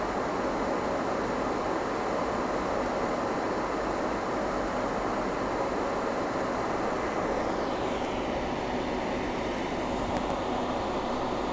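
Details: HP EVA6000 disk storage rack with four full disk shelves at power-up: loud steady fan roar, then the pitch drops as the fans settle to a lower speed; normal start.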